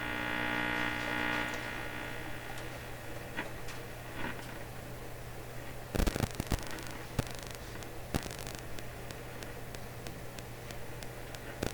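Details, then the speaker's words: Canadian Westinghouse 683A three-band radio on first power-up after yard-sale purchase, fed by a signal generator: strong steady mains hum with buzzy overtones drowns the weak signal, with clicks and earlier motorboating; it still plays, showing the tubes work, but very poorly. "With the radio making this sound, I'm feeling a little hopeless here."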